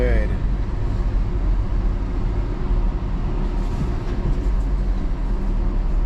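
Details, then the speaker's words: Acura RSX test drive after tightening loose lug nuts that had caused a weird noise from the rear: steady low road and engine rumble, no clunks, knocks or rattles; problem fixed. "[Music] and it's fine"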